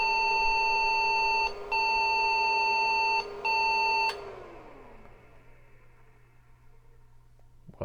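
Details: IBM 5150 PC at power-on with a newly fitted PC speaker, expected error messages still present: three long high beeps, each about a second and a half with short gaps, then the fan winds down; POST error warning.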